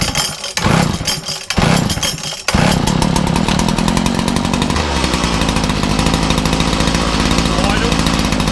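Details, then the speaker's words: Makita DPC6430 two-stroke disc cutter, cold start on choke after carburetor work with filters refitted, decompression valve used: a few pulls, then it catches and settles into a steady buzzing run; firing better, running normally. "Oh, decompression. And already it's firing better."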